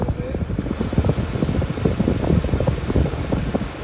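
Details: 2002 PT Cruiser after cleaning out the part blamed for overheating, AC refrigerant (R134) already topped off, AC cranked to max at idle: steady rushing blower roar over a low hum, no rattle or squeal; temperature gauge steady, AC blowing colder.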